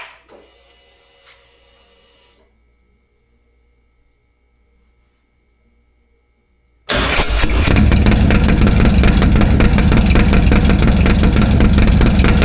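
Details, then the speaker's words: 2024-on Harley-Davidson Touring motorcycle cold start on a new lithium starter battery, recorded from behind the bike. Silence, then it catches instantly and settles into a strong, steady loping idle with no misfires; a healthy cold start. "We're gonna set the camera up behind the bike and we're gonna crank this thing over and get you guys a nice cold"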